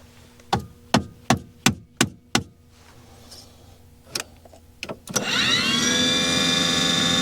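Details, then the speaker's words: Aquahot 400D RV boiler after repairing the burner motor relay: a run of sharp clicks, a pause, then the blower motor spins up to a steady whine and holds. It now starts every time, where originally it would not come on; the burner lighting is still unconfirmed. "But I'm pretty sure that the fact that it's that it's the motor is engaging every time that what I did with the with the re relay was successful because that was the original problem. The motor wouldn't even come on."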